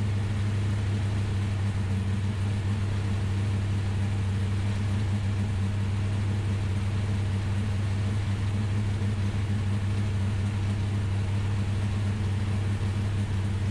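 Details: Ultima GTR V8 supercar sat 7 years unrun in a warehouse, cold, no coolant yet, oil pressure confirmed: smooth, deep rumble holding steady idle speed, no ticking or misfire stumbles; idles healthy.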